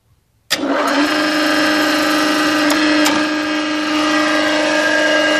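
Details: Conz 7.5 kW electric motor, first start in over 40 years on provisional power: snaps on into steady hum with a rough, gritty edge from failed bearings; wiring long out of code.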